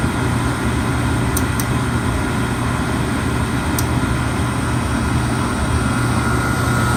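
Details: Oil furnace burner with a steady roar and a few sharp clicks, apparently from the electrical box on its side; burner starts fine but often shuts off after a minute or two. Cause unexplained.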